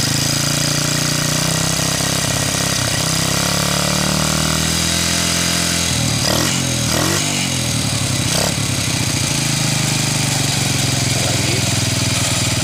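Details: Honda Revo motorcycle after cleaning the dirt-clogged carburetor jet: catches and climbs smoothly through several throttle blips, then falls back to an even idle; white smoke reported at high throttle.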